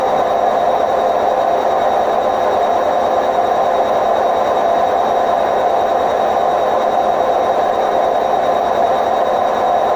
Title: Hotpoint WMF760 spin program with bad bearings May 2018